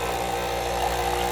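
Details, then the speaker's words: Original Verismo Starbucks espresso machine after priming the dried-out pump: steady mid-pitched pump buzz, even and continuous with no sputter or dry rattle; water reaches the cup, no-water fault fixed. "look at that it's causing suction because look the top is completely air is being sucked out that means the water is being sucked out and as you could tell it went into the cup"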